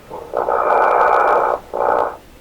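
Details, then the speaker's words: Heathkit SB104A transceiver during VFO output-level alignment turned to one extreme: bursts of hissing warbling noise with a thin steady whistle; likely spurious signals (birdies) in the receiver. "don't think it makes these funny sounds when I have it"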